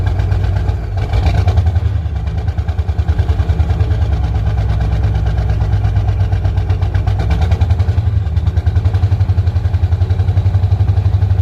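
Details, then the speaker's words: 1985 Ford F8000 with CAT 3208 turbo V8 diesel, unrun since August, starter solenoid repaired, cold weather, just started: deep, even chug at idle, no knocks or misses, little white smoke; normal idle. "running real clean too not much of white smoke I was expecting a lot more [Music] let it warm up a little bit before we play with the throttle too much"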